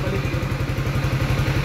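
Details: 2023 Sniper 155R motorcycle, five months old and under warranty: a fast, even ticking clatter over the idle that a mechanic could not find. The source is still undiagnosed.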